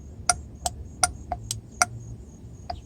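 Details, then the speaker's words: Mercedes rear heater control valve, working left solenoid (the right one does nothing): sharp, crisp clicks each time power is applied; normal solenoid valve operation. "hear it so the left one works the right one does not"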